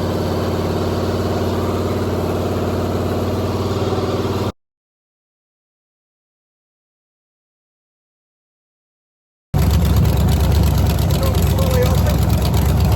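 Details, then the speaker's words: 363 V8 on an engine test stand before fitting to a Factory Five build, run about half an hour at mostly 1500–2000 rpm with some idling. A deep, steady burble at an even fast-idle pace with no knocks or misses; healthy, nothing wrong found. "Okay, so that was like half an hour of engine runtime. Generally in the 1500 to 2000 RPM range, a little higher now and then and a little lower now and then. Some idling. Things are looking good. I don't see anything wrong."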